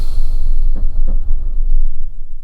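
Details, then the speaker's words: Engine after new plugs, coil pack, secondhand coil, leads and throttle body, inlet manifold nuts tightened, no fault codes: deep uneven lumpy idle with surges and dips, then stalls; owner notes it ran okay, likely rich, with throttle body connector unplugged. "yeah and now it's stalled that's weird how weird is that"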